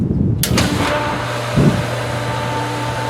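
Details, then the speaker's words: Pool pump on its first start of the 2022 season: a switch click, then a steady low motor hum with a light rush of water but no water drawn in yet. The pump is not primed; more water may need adding. "right now nothing depending on your pool this can take 20 seconds two and a half three minutes the little sounds are not bad we might need to stop down and add some more water"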